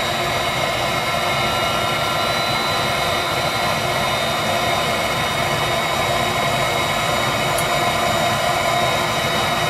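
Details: Viessmann Vitodens 200-W WB2B35 condensing boiler, built about 2011, in service about 5 years: steady fan rush with a faint even hum and no burner roar. It is in its hung state, blower and circulator pump running, burner not lighting, no fault codes; cause unknown.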